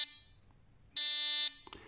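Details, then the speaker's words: VW T4 minivan's no. 36 lights-on warning relay, bench-tested on 12 V, ground on terminal 85, positive on 58: a harsh steady high buzz for about half a second, then a clean cut-off; the relay is good. "quand tu mets la masse sur le 85 et que tu mets ton plus sur le 58 ça fait du bruit l'autre 58 ça fait du bruit"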